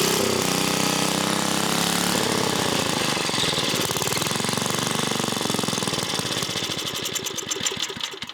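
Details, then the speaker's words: 1980s Onan (C80) generator: catches, stumbles and sags in uneven bursts, fading out after a few seconds; owner believes spark is good and it's not getting enough fuel, carburetor diaphragm examined. "So our spark is good, and we should be able to have it run. It's just we're not getting enough fuel."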